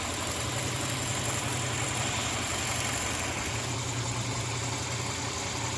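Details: Moskvich 2140 at steady idle: a dull engine knock at about three or four beats a second riding on the run; a fix was found.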